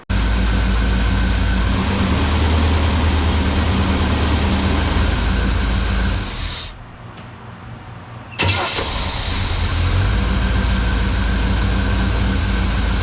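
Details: Engine after new ignition switch fitted and lower radiator hose leak fixed: catches straight away and settles to a steady even idle; after a short drop picks back up and runs smoothly; normal start and idle.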